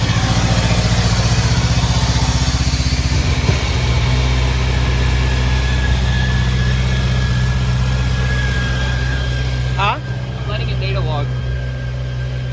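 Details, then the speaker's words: Subaru FA20 with intercooler after re-gapping plugs and rotating coil packs, data logging: deep idle with uneven, slightly lumpy beat and occasional stumble; still misfiring a little, later logged on cylinder 4. "it's still misfiring a little bit a little bit but that sounds pretty damn clean it sounds clean just let it run"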